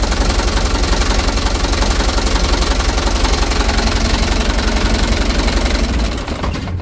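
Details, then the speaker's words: Mitsubishi Canter HDX diesel truck, cold start, after Bosch injection pump calibration and plunger replacement: heavy idle with loud pulsing thump near three per second and uneven beats; rough idle with noticeable engine shake, said to worsen when hot. "ini jadi guncangan mesin sudah kelihatan untuk awal hidupnya"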